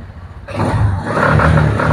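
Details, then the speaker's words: Suzuki Spin 125 scooter revved with engine ground wires disconnected: engine rises rough and stutters with uneven pulses instead of a clean rise; misfire from missing engine ground, demonstrated before reconnecting. "kalau motor tanpa menggunakan ground ini akan mengalami berebet dan ini ketimbang ragu ini coba hidupkan sekali lagi motornya"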